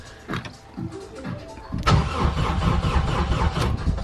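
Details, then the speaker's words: K-series swapped FD RX7, fully forged build, first start attempt with ECU controlling fuel pump: starter spins engine steadily about four turns a second without catching; healthy cranking, no start yet. "yes so we have cranking that's positive"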